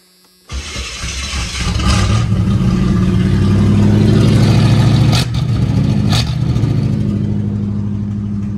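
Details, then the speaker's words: 1985 Chevrolet Camaro Z28 with HEI distributor, sitting 13 years, first start with fuel poured down the carburettor: cranks briefly, fires clean and settles into a steady, even V8 idle with a brief blip. It starts and runs well. "You know, I believe she runs. And I believe she runs good."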